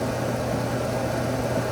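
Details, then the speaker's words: Motorola 55A 8MR internally regulated alternator on a bench rig, output rising to about 30 A and 14.59 V as the Victron DC-DC charger kicks in to charge a LiFePO₄ bank; steady even whir and low hum, no grinding or squeal, normal alternator under load. "You can hear it load up, outputting 30. Reason being is because the DC to DC charger has now kicked on."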